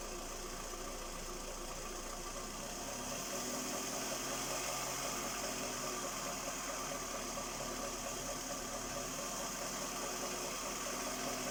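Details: Skoda Rapid 1.6 CFNA 105 hp petrol engine at idle: loosely regular light knock about twice a second over the engine hum; owner asks what is knocking, source not pinned down.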